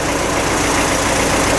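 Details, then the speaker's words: Tractor at steady diesel idle with a loose, buzzy rattle riding on the exhaust note; the spark arrestor has come off the muffler and is to be welded back on. "У трактора слышно глушитель, гремит, отпал искрогаситель."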